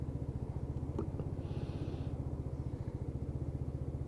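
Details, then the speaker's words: Lexmoto Titan at 4,166 miles, test ride after fuel-system repair for cutting out at idle: engine still slightly cold, steady even single-cylinder idle about 1500 rpm (should be 1000–1200 warm), no knocks or misses; healthy. "outside in about 1500 rpm so engine's still a little bit cold well he should idle around about a thousand to 1200"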